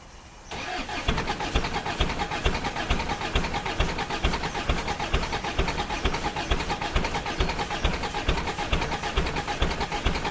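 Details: Ford Courier WL turbo diesel cold start in summer, increasingly hard to start: catches after a short crank and settles into a rough, lumpy idle with uneven pulses about two per second; hard cold start, glow plugs pulled to diagnose.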